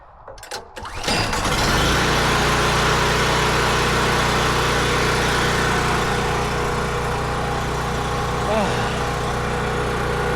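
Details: Firman generator on propane, started after confirming red light: catches within about a second and settles into a steady, even drone with no misses or knocks; running healthy.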